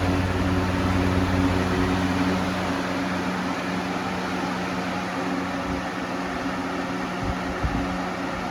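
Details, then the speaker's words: Lasko B20610 box fan with a replacement blue blade, running on high and nearly tipping over. Steady hum with a rhythmic thrumming wobble two to three times a second; the blade is really out of balance. "Almost fell. You can see it's really out of balance."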